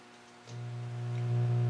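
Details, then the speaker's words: Testament 30 boutique tube guitar amp with KT66 output tubes: low steady 60-cycle mains hum that worsens as volume passes halfway; inverter tube first suspected, power supply clean, cause found to be an output transformer mismatched to the KT66s (suited to 6V6/6BQ5). "okay so it's a little bit of 60 cycle hum I've traced it down to what I think is a uh inverter tube issue power supply and it's clean but then the more I investigated I found out that the output Transformer is not a match for the tubes that are in it"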